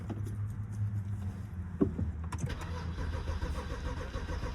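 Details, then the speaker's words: BMW that wouldn't start (no key symbol) after replacing the car access system (CAS) sensor: cranks briefly, catches and settles into a smooth, low, even idle with no misses; normal start and idle. "Starting over. And it started. There's absolutely no way. Listen to this. And it runs smooth."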